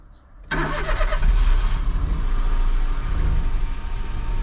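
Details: 2007 Citroen C1 after fuel sender replacement, fuel pump primed by cycling ignition: short crank, then engine catches at once and settles into a steady, even low idle with no stumble.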